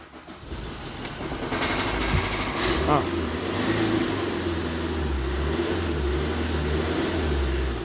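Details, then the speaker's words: Tata Indica Vista that cranked but wouldn't start, after repairing wiring circuit junctions behind two scanned fault codes: starter cranks briefly, the engine catches in about three seconds and settles into a steady, even idle. Normal start. "make the starter quickly sunny finally the weekly started"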